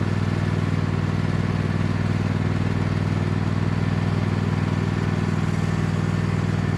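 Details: Cub Cadet lawn tractor, badly neglected, running under load on a test drive after installing an aftermarket knockoff carburetor; steady, even single-cylinder beat around four pulses a second, no hunting or sputter. Runs far better than expected, normal.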